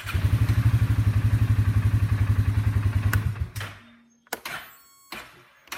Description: Bear with this video. You will see and hear when the starter has a bad section. Thanks.